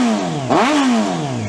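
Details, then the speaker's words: 1994 Honda CBR600F2: starts right up, quick clean rev rising and falling smoothly back to idle without stumble or clatter; normal rev. "i think that sounds pretty decent"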